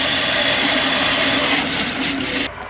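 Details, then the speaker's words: Newly installed electric lowboy water heater in a crawl space, filling after the house water is turned back on: steady, even hissing rush of water into the tank until it cuts off; normal fill, air to be purged at a hot tap upstairs. "You can hear that unit filling up. Now, that's going to put a lot of pressure into the system."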